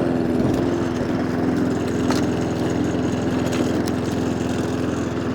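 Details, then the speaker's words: Mountfield SP454 lawn mower with an inoperative throttle cable: engine runs with a slightly uneven, wavering note instead of a steady idle; hunting from a blocked carburettor slow idle circuit. "Oh well. Yeah, it's got a bit of a hunt to it."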